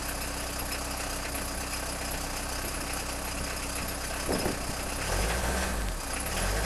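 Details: Peugeot 306 XLtd diesel cold start after a full glow-plug cycle, no throttle: rough idle with an uneven lumpy clatter, about four beats a second, no steady rhythm; owner suspects failing injectors, not confirmed.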